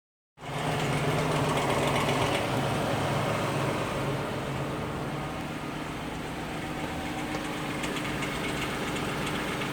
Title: Lexus LS460 clicking noise